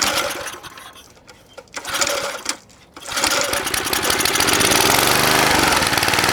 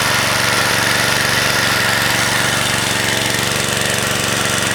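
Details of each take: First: Vintage McLane mower, Briggs & Stratton single, sat about 15 years, catches and runs hard with a rough burble; the mixture screw was unscrewed many turns, so it runs too rich. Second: Vintage (likely 1970s) McLane machine with a Briggs & Stratton single, revived after sitting about 14–15 years, pops evenly about three beats a second with a steady buzz; runs smooth and healthy, though it needs a new blade.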